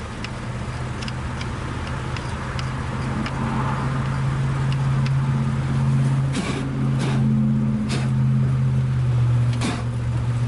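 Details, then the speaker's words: 1962 Dodge 100 first start in 25 years, gas poured in carburetor, broken throttle return spring: engine runs unsteadily with sharp pops about every second backfiring through the carburetor; owner suspects an intake valve stuck open. "popping through the carburetor so much, I'm sure there's an intake valve stuck on it."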